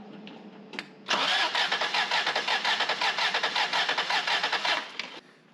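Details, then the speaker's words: 1994 Toyota 4Runner 4WD, 3VZE V6, compression test on cylinder three (cylinder five also zero, others 120): starter spins fast and even with no labouring beats; zero compression, owner suspects burnt valve. "i didn't see any compression on that at all none at all now for number five i believe it is zero well that's two cylinders right"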